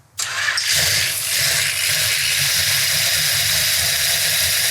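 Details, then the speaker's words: 1968 Dodge Charger R/T numbers-matching 440 Magnum on a run stand, first fire-up: starts immediately with no backfire, settles to a steady loud idle with hiss and clatter, lifters not yet pumped up. "there's not a better feeling you hit that button and it fires off and doesn't backfire and crap all over the place now i always expect them to be noisy because the lifters aren't pumped up yet but boy it sounds great"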